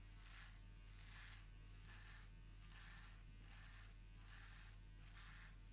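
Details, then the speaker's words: Philips OneBlade Pro 360 (QP6541/15) trimming a long beard: steady buzzing hum that dips and strains rhythmically as blades struggle through long hair but still cut well; judged normal under load. "You hear the blades struggling, but they are cutting. They are cutting for quite well, or at least that's my opinion."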